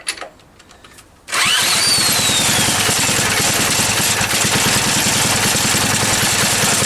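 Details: Small engine after refitting the flywheel key and setting the ignition air gap: starts at once and settles to an even beat about three firings a second, note changing slightly, no misses; now running normally.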